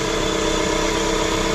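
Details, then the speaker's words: 2016 Dodge ProMaster City, AC running, after correcting swapped connectors on an aftermarket cooling fan that had caused overheating: steady, even fan whir over the idling engine, no rattle or hesitation; fan working normally. "keep an ey of f usually takes a few minutes to kick in so there we go working perfect perfect perfect nice wow"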